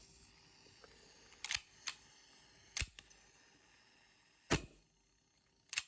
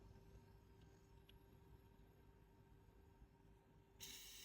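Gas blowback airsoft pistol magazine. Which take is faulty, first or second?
second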